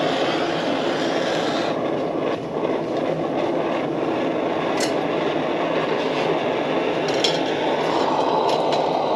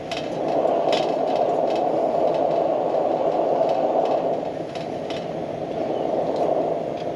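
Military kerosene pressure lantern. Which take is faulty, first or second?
second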